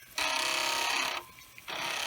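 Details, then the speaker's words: Commodore 1541 disk drive running a looping test moving heads track 1 to 35: bursts of fast buzzing head stepping with a hard clunk between passes; still reads and writes fine after head cleaning, clunk persists, cause unknown. "but i still i don't like that clunk noise but it does seem to be not getting upset by it"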